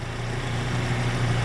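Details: Freshly rebuilt Daewoo Lanos engine at hot idle, oil pressure at idle about 3, excellent: steady low, even idle hum with no knocking or ticking; smooth and healthy, car ready to return.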